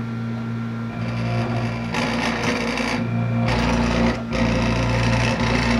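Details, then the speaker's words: Disco scanning club light with eight stepper-driven mirrors: rough stuttering drone rattles in bursts as mirror moves; one stepper very noisy, another not indexing. "all of them are working here this one's making a lot of noise and this one's really not indexed properly"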